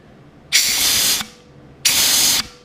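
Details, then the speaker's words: Ford C4 automatic transmission during rebuild, air checks before valve body and shift kit install: two short, sharp compressed-air hiss bursts, each cutting off cleanly, as the band servo applies normally. "So you can hear these things click in with clutches. Okay, you can hear that clicking in. Coming off and on."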